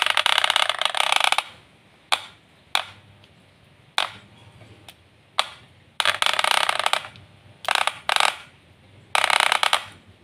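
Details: Wahl Super Taper hair clipper running in harsh, buzzy bursts of clattering as the blade rattles from a loose, worn spring part, before repair.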